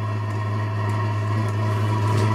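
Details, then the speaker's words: Diesel parking heater on first bench test before installation, muffler not yet fitted: steady low roar with even hum, no popping or surging; burner lit and running cleanly. "So you guys hear that? She's starting to roar a little."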